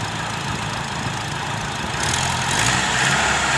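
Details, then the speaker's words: Car AC belt that squealed because it was installed too loose; after the fix, revs rise with the AC running. No squeal or chirp and no slipping even when revving: the belt grips properly, normal AC belt operation. "بص حضرتك، ادي التكييف اشتغل، زود بنزين، والسير مش بيتزحلق ولا بينتج اي صوت حتى لو زودنا بنزين."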